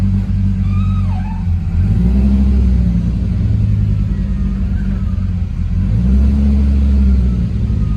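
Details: Car on a base map, driving: deep smooth exhaust rumble rising and falling cleanly with throttle, no misses or knocks; normal engine running.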